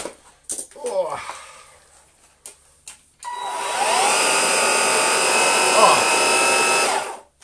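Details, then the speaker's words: Gtech AirRam cordless vacuum after full reassembly: a few handling clicks, then motor spins up to steady high whine and holds evenly; running normally after repair. "what it should sound like, folks. There we go. And that is now working fine, I caught it right."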